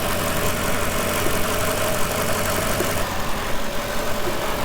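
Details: Mercedes CLK 55 AMG V8, low mileage, idling after gearbox rebuild with transmission oil checked at 83°C: steady, even idle with a smooth low hum and no knocks, misses or surges; normal idle.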